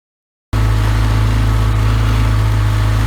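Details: 33 HP Evinrude Ski Twin electric-start outboard before carburetor adjustment: low, droning full-throttle note pulsing unevenly about four times a second, boggy and short on revs; misadjusted high-speed needle, later set 3/4 turn out from snug.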